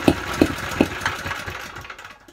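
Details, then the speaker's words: Honda GX160 generator engine, cold start on choke with a 110 V drill plugged in: a few loud irregular thumps about every half second, then it sputters and hunts; rough running on cold start, carburetor suspected, cause not confirmed. "not promising that doesn't sound good that is not good there's no way that's going to run that drill on the site is it my god that sounds ropey"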